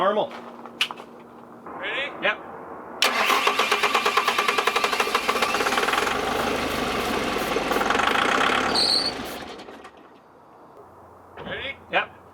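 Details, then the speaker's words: 2007 Bobcat S185 with a sabotaged Kubota V2003 turbo diesel, cranked on starting fluid: even chuffing for several seconds, nearly catches but never runs. "crank it sort of cranks for so long and then stops and you have to turn it off turn back on crank crank crank"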